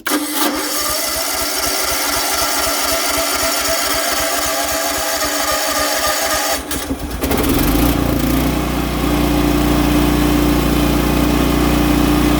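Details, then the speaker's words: Generac natural gas standby generator started to warm the oil before an oil change (oil clean, a little low): rapid cranking chuffs for about seven seconds, then it catches into a steady, even run; normal start. "We're gonna fire it up and warm the oil up, and that's what we're gonna do."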